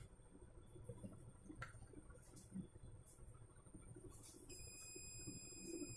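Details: Gigabyte H61 motherboard, no-power fault with overheating spots: quiet, then a steady high continuous multimeter beep after about four seconds, reading continuity on a suspected leaky component.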